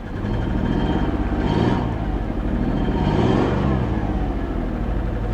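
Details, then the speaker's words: 1994 Ford F Super Duty IDI diesel, sitting at least a year, just started. Two rev blips sound uneven and lumpy, with the exhaust stumbling; it is misfiring. The owner suspects long storage, but this is not confirmed. "It's misfiring a little bit, but it's probably been sitting for a long time, guys."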